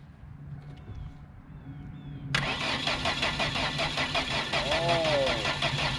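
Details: Ford Focus with about 180 (units not given) and two and a half working cylinders: the starter spins the engine at about three even beats a second without firing; no spark, traced to a broken wire feeding the ignition coil.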